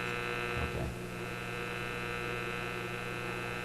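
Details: Simplex antique vacuum tube radio, after the Magic Eye B+ fix, supply just raised from a low-voltage setting; about 122 V measured. Steady low buzzing hum with higher overtones through the speaker; source not found. Mains hum suspected, not confirmed.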